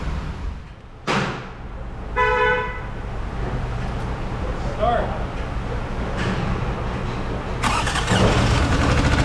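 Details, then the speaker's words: Toyota 3.3 V6 just after timing belt replacement, lacking brake assist: rough uneven running with odd tonal honk and scattered clatter; unclear whether metallic damage or an exhaust leak, vacuum leak also suspected. "i don't know man i think they blew it up something is very unhappy over here yeah i definitely hear something odd going on here this is not right i can't tell if it's metallic or if it's some kind of exhaust leak"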